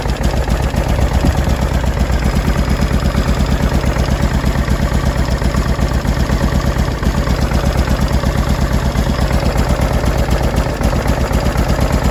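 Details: 2005 Honda Deauville NT650V V-twin after carburetor check (vacuum pistons repositioned, pilot screw set), warmed about three minutes, choke off, idle set low: steady even low throb with no popping or backfiring from exhaust; running clean.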